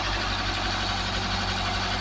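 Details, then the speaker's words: Ford Cortina Mk3 Estate carburetted four-cylinder after carburetor rework: steady, even idle with smooth low rumble, no misses, stumbles or knocks; running smoothly, normal idle. "sounds really good as well well that should bring to end and then the carburetor uh issues"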